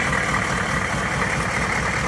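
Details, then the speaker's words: 1993 Chevrolet K3500 6.5 turbo diesel dually at warm idle, thermostat open and coolant flowing through new radiator: steady, even diesel idle with smooth low rumble, no knocks, misses or leaks; healthy. "all right thermostat's open yep we got coolant flowing oh yeah it's warm"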